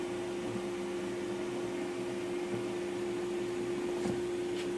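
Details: King Cabinet table saw after bearing repairs and table alignment: a steady, even motor hum with one clean mid-pitched tone and no rumble, ticking or grinding. It runs smoothly.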